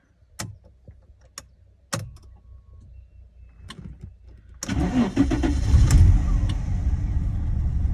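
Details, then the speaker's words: Daimler (Jaguar) XJ40 restarted on a jumped extra battery after losing power uphill and stranding: clicks, fuel pump heard, then uneven, lumpy wavering running before picking up; rough running, battery or fuel cause unconfirmed. "But yeah, it is running terribly."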